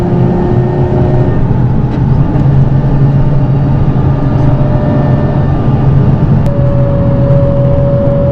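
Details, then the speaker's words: Nissan 350Z with welded differential at 50 mph: over steady road roar, a thin mid-pitched whine holds and strengthens on throttle and disappears off throttle, even after a fluid change. Differential whine under throttle; cause suspected, not confirmed. "so from what I can hear my diff decides that it wants to make the worst noise known to mankind I'm going 50 right now and it has to do with throttle input"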